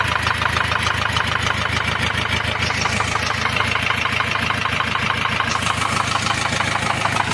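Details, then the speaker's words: Ford Transit van at idle: fast, steady tick about three a second; a rocker arm had dropped off cylinder one, leaving that valve not working and slightly damaging the edge of the camshaft. "ah sobre o barulho o barulho que era o barulho o barulho é o quê um balancinho ele tava caído fora aqui ó do primeiro cilindro ele tava caído para fora não tava funcionando essa válvula aqui"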